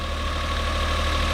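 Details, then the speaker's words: Suzuki Every DA52V kei van, cold, idling with no engine light; steady, even idle with low hum and faint whine, running a bit high while cold, sounds much better than before; normal idle. "we've got no engine light or anything like that on so it's looking pretty good it sounds good it sounds a lot better than it did"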